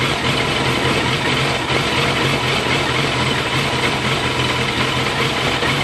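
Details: 2001 Yamaha FZS600 Fazer four-cylinder idling unevenly, revs wavering up and down on their own instead of holding steady; rough, hunting idle.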